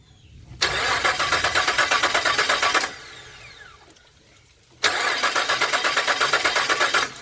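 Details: 2001 Nissan Frontier 3.3 V6: two cranking bursts of about two seconds, fast even starter chugging around nine per second, engine never catches; crank no start.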